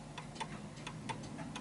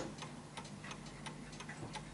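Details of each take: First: Vintage Bentima/Perivale Art Deco 8-day Westminster mantel clock with its pendulum swinging more to the right. Uneven ticks, a short gap then a long one, because it is out of level; it is out of beat and will stop. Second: Vintage Bentima/Perivale Art Deco 8-day Westminster mantel clock after shifting it left and right to set the beat. Crisp, even tick-tock at about 87 beats a minute with equal gaps; running in beat.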